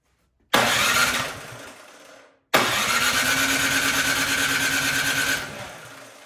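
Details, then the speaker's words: Craftsman snowblower during tune-up, on choke, electric starter: two bursts of rapid, even starter churning a couple of seconds each, never catching; cranks but won't start, spark to be checked. "prime well this machine does not want to start so we're going to check for spark"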